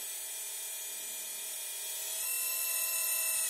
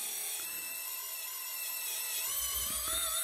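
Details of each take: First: RC Hidromek excavator model (CSMI) hydraulic system after topping up with hydraulic jack oil to cure cavitation: small pump's thin steady high whine runs smooth as boom lowers, plenty of oil circulating, no bubbles, no gurgle or rattle; normal hydraulic pump run. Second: Small pump on an RC hydraulic Hidromek excavator model cavitating: high gritty whine that roughens and wavers as the boom lifts under heavy demand; too little oil in the tank, fine bubbles visible as the pump starves.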